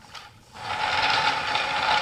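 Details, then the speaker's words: Homemade wooden flat thrust bearing with a 5/8" core-box-cut trough, run on black/red 9/16" glass marbles too small for the groove: continuous dry scraping with faint ratcheting as the race rubs on the cage. "they're actually small enough that the the race is rubbing on this"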